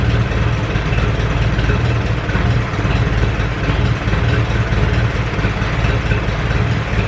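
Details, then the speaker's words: Ferguson 20 petrol/TVO tractor that sat in a shed about 10–15 years, first run after revival, still leaking coolant, run briefly indoors: steady, even low putter with no misses or knocks, oil pressure good, running cleanly; normal idle. "but uh oil pressure looks good she's running quite cleanly right yeah let say she's a runner okay so that's it she's a runner"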